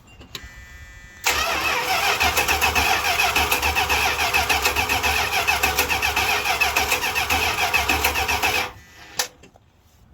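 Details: 1978 Chrysler Newport that had been sitting for a long time, cranking steadily at about three and a half turns a second with no firing right after a new fuel pump and filter were fitted; it cranks but won't start until the fuel filter fills.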